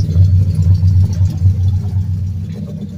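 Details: 2003 Mercury Grand Marquis LSE with swapped 5.4 3V short block (11.7:1), Trickflow heads and stage 3 cams, long tubes, at idle: dull uneven thump about twice a second under the V8 rumble; rod knock.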